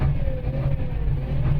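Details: Isuzu Forward diesel truck idling unevenly with a wavering low drone and hiccups, stalling while driving with no check light; scanner shows other values fine; code P0336 crankshaft position sensor.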